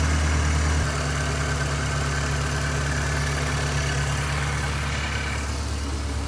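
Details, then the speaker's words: 1984 Corvette, Crossfire Injection V8, parked over 20 years, charging 14.3 V: fast steady idle near 1100 rpm that won't settle; vacuum leak found, and after fixing it idle drops to 900 rpm. "1100 RPM 141 on bolts. Just got to get it to idle down. That helped a little bit. Sounds like a barbecue over here."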